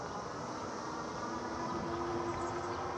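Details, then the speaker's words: E-bike riding on neighborhood streets: a thin, wavering brake squeal comes and goes over steady rolling noise. It is possibly dry or glazed rear pads, though the cause is not confirmed. "all you hear is the squeaking of my brakes that's all you get to"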